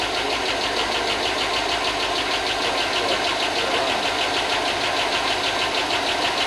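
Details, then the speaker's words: 2005 Chevy Tahoe 5.3 LS V8, first run after a long no-start/no-spark period: light, fast tick about three per second over a steady idle; lifters hoped to pump up after long storage, cause suspected, not confirmed. "it's running well it hasn't it hasn't run in a long time so hopefully the lifter pump up and that no away cuz it can't off"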